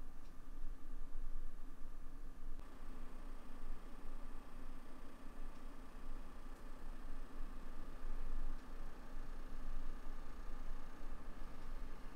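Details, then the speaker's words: Sony PS5 heard close up in normal operation: a soft, even airy whoosh with a faint steady tone and no rattle or pulsing. Normal fan noise with no problems, inaudible from a few meters away. "und das ist meines erachtens einfach ein normales lüfter rauschen ohne irgendwelche probleme es ist klar hörbar wenn man nah dran ist"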